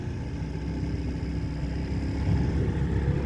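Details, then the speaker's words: 1995 Evinrude 112 SPL outboard, new plugs and plug wires fitted, at full throttle in neutral: flat, rough sound stuck around 2000–2100 rpm on the tach. The owner feels it should rev higher; the cause is unknown. "and 2 000 2100 i feel like it should be more if you know anything about johnson ever motors let me know"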